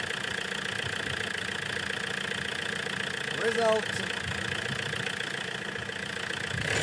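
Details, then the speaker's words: 417k-mile Renault 19 diesel after replacement starter motor fitted: even diesel clatter at idle, steady rhythm, no misses, knocks or hunting; running smoothly. "oh that's a good sound I like it hey on the button now that's a big relief that is one big job done out the way sorted"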